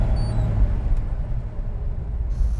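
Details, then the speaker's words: 1970 Dodge Challenger R/T after a carburetor swap that cured an earlier stumble: deep, steady V8 idle with an even, unbroken beat, no misses or stumbles; normal idle. "finally idle's good"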